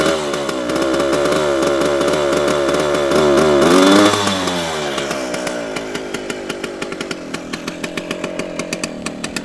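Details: 1973 Jawa 50 type 21 two-stroke buzzes unevenly, rises then drops into loose, irregular popping about 2.5 per second; running poorly, an air leak is suspected.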